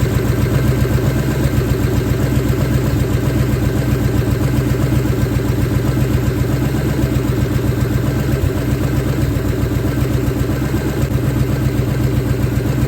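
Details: 1970 Ford Falcon, freshly budget-rebuilt 5.0 V8 running cold on open shorty headers, cold oil pressure about 70–80. Loud, lumpy but even idle with steady pulses, no ticking or knocking; healthy rebuild.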